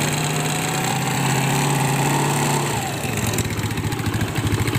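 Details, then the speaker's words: Secondhand Yamaha Mio Smile scooter idling unevenly with a loose, lumpy beat and slight rattle; the engine sounds rough and is unserviced, recorded after a new CVT part was fitted but worn pulley and roller parts were left unreplaced. "Ini mesinnya agak kasar dan belum ada permintaan untuk diservis. Nah ini suara mesinnya ya, agak kasar."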